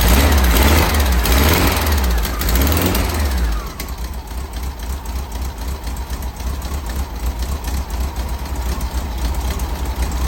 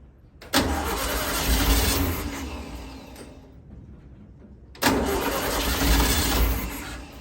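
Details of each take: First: 1964 VW Beetle air-cooled flat-four, first run after 10 days of work, on a temporary electric fuel pump, static timed. Revs rise and fall, then settle into an even chuff of about four beats per second. Normal idle. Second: 1964 VW Beetle with the motor just installed, cranking with a starter that came with the car: two long bursts of free cranking that never catch, no fuel getting through; the mechanical fuel pump is faulty.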